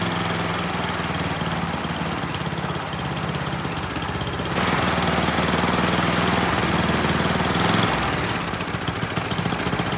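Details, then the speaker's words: Neglected Troy-Bilt Storm 10030 snowblower with Tecumseh HMSK105 single-cylinder, found with no spark and a suspect carburetor, runs on its own after starting fluid; steady popping, picks up revs with choke off and throttle up, clean with no misses or knocks. "very nice kind of surprised it ran on its own and not only that it ran pretty well you know I could turn the choke off throttle the engine up and things sounded good"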